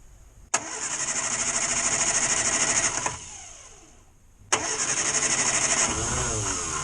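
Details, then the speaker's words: Two bursts of steady cranking, about three turns a second, that never catch, even with extra choke, on a 1962 Morris Minor on a cold, damp day. The old ignition coil is reconnected, and it is dead, giving no start. "no that don't want to know does it so that old coil is dead"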